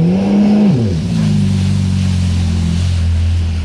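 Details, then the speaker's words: Yamaha GP1200R jet ski with a swapped 1.8 L supercharged Yamaha engine, new impeller and intake grate, after a 74 mph run: high revs drop on throttle lift to a burbling idle with a flutter; supercharger surge, no blow-off valve. "can hear the shutter on this thing it doesn't have a blow-off valve which is something I kind of want to get"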